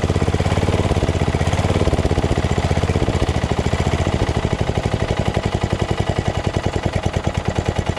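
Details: Craftsman LT2000 lawn tractor repowered with a Briggs 14.5HP SOHV single after sump gasket repair and new battery; even low-throttle beat around ten firings a second, no misses or knocks; normal running.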